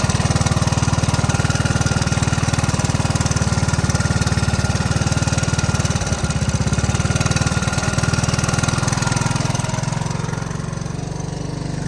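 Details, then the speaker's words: Honda ATC 185 after carburetor adjustments to ease starting: a steady single-cylinder putter at a low, even idle with a slight wobble near the end. The idle speed sounds about right, though the carb may need more adjustment. "okay that sounds about right as far as Idle goes so let's see if this keeps running out of gas"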